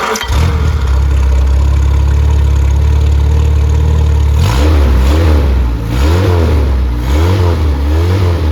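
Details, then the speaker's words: Fully rebuilt Triumph Spitfire 1500 engine, warm at about 160°F, 9.5:1 compression, 185–195 psi, reground 270 cam: quick start, smooth even idle and clean blips, no knocks or misses, fuel pump audible; healthy. "and so this engine is ready to go so we'll fire it up let you listen to it run and uh that noise is the uh that you hear is the fuel pump here we go"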